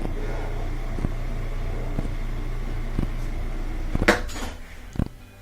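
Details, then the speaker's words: Whirlpool top-load washer after motor coupler replacement, spinning: steady low motor hum with faint tick about once a second; normal spin. "there we go and that's the sound you want instead of that I thought that that that that you want that that sound and we can see it's spinning great"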